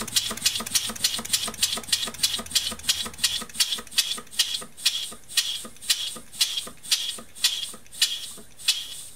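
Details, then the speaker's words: Scratch-built steam engine (1.5" bore, 3.5" stroke, 8" x 1" steel flywheel) running on 15 psi compressed air: crisp even exhaust chuffs about two per second, steady with no knocks; runs smoothly with good torque, normal running. "Runs really, really well on 15 pounds of air and generates quite a bit of torque."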